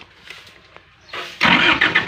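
Quiet handling, then a sudden burst of rapid cranking that rises but never catches into a steady run: the generator turns over without firing.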